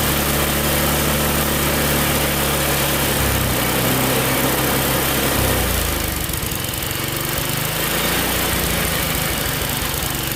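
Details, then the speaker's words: Tecumseh small engine on a snowblower after carb cleaning, racing fast and uneven even at lowest throttle, never settling to low idle; governor linkage was hooked into the wrong carburettor hole, causing over-revving. "well definitely a Reb's High that's really the lowest it goes from that Governor's spring maybe"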